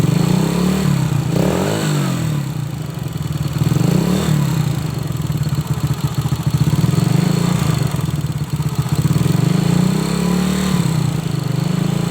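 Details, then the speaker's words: Honda Supra X motorcycle, revved in swells: dry metallic clatter from the cylinder head that grows with revs, near silent at idle; the cause, valves or camshaft, is not yet known. "Kalau posisi motor ini stasioner itu tidak bersuara ya, kalau bersuara hanya sedikit saja, tapi posisi motor ini kita gas, suaranya pasti menimbulkan suara kemprocak."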